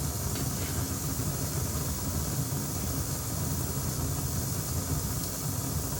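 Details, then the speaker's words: Akai 4000DS MK2 reel-to-reel, before cleaning the sound-on-sound switch it suspects: steady loud hiss with rough crackling rumble, severe amplifier noise ultimately from failed transistors, not capacitors; deck also has very high flutter. "sometimes this switch, which is that one there, can get noisy. You can hear all that racket, and I'm just going to give this switch a shot of cleaner before I tear into anything else."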